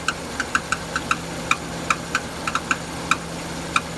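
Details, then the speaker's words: Renault Duster 2.0 F4R, DP8 automatic, AWD, 80,000 km. After 5–10 km of driving it makes sharp irregular metallic knocks at warm idle, absent when cold. The noise fades with slight throttle and is heard from below, loudest near the wheel. Owner suspects the flywheel. "Вот это Начинает появляться вот этот звук чуть газа даёшь Он исчезает сверху так не слышно он идёт снизу гдето а лучше всего слышно около колеса"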